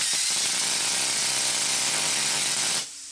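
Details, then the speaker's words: P90 plasma torch on a small 40 A plasma cutter with an oversized tip: harsh hiss that spits and sputters at start, then runs rough about three seconds; short of power, suspected from the too-big tip and about a third of rated amperage. "if i start this torch you listen and watch coming out here it sort of spits and it starts as if it just hasn't got enough power to get going which it probably hasn't"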